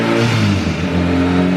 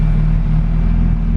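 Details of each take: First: Boosted 2.2-litre E85 EK Civic Si on Hondata S300, after a dyno run: idle surges, sagging and climbing, on return to idle because a vacuum line to the blow-off valve blew off the intake manifold, causing vacuum and boost leaks. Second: Honda Civic Si EK, 2200cc Bosch injectors, E85, Hondata S300 preliminary tune: low, even idle rumble, perfectly steady air-fuel with no hunting, surging or misfire; normal idle.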